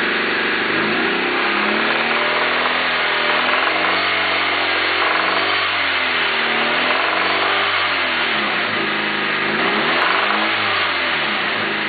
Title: rod knock?